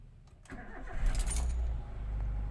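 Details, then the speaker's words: 2012 Daihatsu Xenia (All New), 157 shown on the odometer, during a used-car inspection: brief crank, catches at once and settles into a low steady idle without misses or rattles; car runs fine, AC cold. "Mobil masih oke. AC dingin teman-teman."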